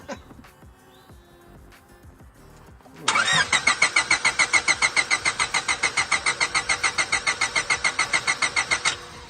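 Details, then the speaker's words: 2000 Honda Civic EX coupe, 5-speed, VTEC D16Y8 with newly fitted 410cc Denso injectors, 3 bar MAP sensor and custom chipped OBD1 ECU via adapter: starter cranks evenly about six seconds but never fires; injector plugs suspected faulty. "Not a good sign. Not a good sign."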